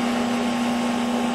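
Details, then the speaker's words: Craftsman dual-range 35–230 amp variable stick welder starting up: a steady low hum with an even fan rush and no crackle or buzzing surges. It runs normally. "that's the welder starting up."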